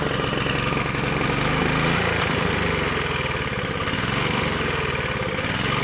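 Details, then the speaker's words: Rebuilt Honda GV150 mower engine (transmission still disassembled) idles with an irregular, lumpy beat, missing now and then; owner suspects choke, ignition fault or coil, and the spark plug was not replaced. Cause unconfirmed. "air est aussi un défaut d'allumage ou à la tête de la bobine et j'ai pas changé la bougie donc ça tout y'a peut-être ça aussi on pourrait peut-être entre en ligne de compte"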